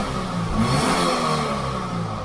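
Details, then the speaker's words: 2006 Subaru Impreza 2.5L single cam after cleaning the dirty MAF sensor, not in gear: engine picks up cleanly on the blip with no delay and settles smoothly; hesitation fixed. "is no delay let it drop again i think i think we're fixed"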